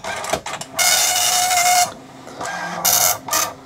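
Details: Commodore MPS 1500C color dot matrix printer driven by an Amiga: bursts of high rasping print-head chatter with pauses for carriage return, crisp and even, printing normally.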